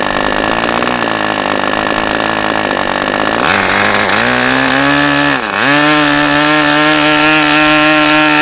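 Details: New-in-box OS 40 FP glow engine on a test stand, first run, 11x5 prop, OS #8 plug, 5% castor/synthetic fuel; high buzzing idle sags and wavers, then steadies after adjustment; owner suspects a rich mixture.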